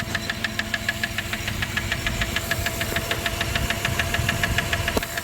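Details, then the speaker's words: 1997 Dodge Caravan LE idling after a rod and main bearing replacement, listened to with a screwdriver at the top end; sharp regular ticking about three per second. A pushrod or rod was suspected, then a stuck lifter that quiets as it pumps up. "it goes away cuz it pumps up PCV valve just started working that's PCV valve no get Qui stuck lifter stuck"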